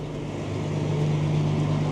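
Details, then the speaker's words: 34-year-old TR96 four-wheel-drive combine, cold start after sitting with cobwebs: fires right up into a steady, even diesel idle that firms slightly as it settles; normal, healthy idle. "You know, fired right up. Sounds good too."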